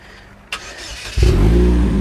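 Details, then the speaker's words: Supercharged Chevy Cobalt SS after rebuild, first start: quiet, then catches and settles into a strong steady idle with no stumble; clean start, with some oil smoke noted afterward. "That sounds good. That's That's nice. That's nice."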